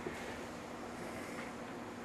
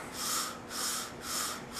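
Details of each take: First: Outdoor condenser fan motor of an HVAC air conditioner after prying the rain guard up the shaft so it no longer rubs the motor body: steady low hum for about five seconds with no scraping, motor spinning freely. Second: Outdoor condenser fan motor of an HVAC air conditioner, spun slowly by hand: soft rhythmic scraping swish about twice a second because the rain guard was pushed down the shaft and rubs the motor body; harmless but annoying, fixed by prying the guard up.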